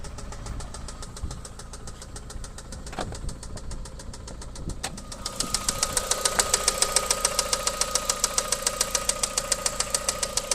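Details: VW Golf 4 1.8 AGN 20V at idle: sharp, regular metallic knocks about twice a second that grow louder and clearer; the knock appeared after hard driving and its origin is unknown.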